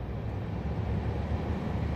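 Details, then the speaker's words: Suzuki Grand Vitara HVAC blower motor that had stopped working, running after repair with the battery on a charger; steady even low hum, no ticking, scraping or wobble, healthy, though ideally the motor would be replaced. "sounds really good slow it down yep I'm looking fine"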